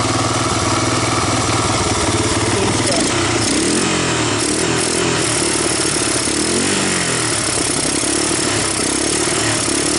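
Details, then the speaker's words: 1985 Honda ATC250ES Big Red single-cylinder after carburetor swap and adjustments, warmed up, choke off: steady, slightly loping putter; engine previously gone through, valves untouched; not a bad idle; normal idle. "it's not bad not a bad idle chokes off warmed up at this point yeah it's not too bad"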